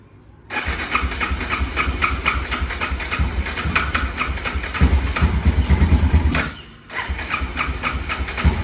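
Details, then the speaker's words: 2005 Can-Am DS650 quad, bought for $1000, with a newly fitted Chinese replacement part, fuel on reserve, wanting choke: the single fires right up and holds a steady thumping idle, picking up cleanly on throttle blips; it runs well. "seems to run pretty good now"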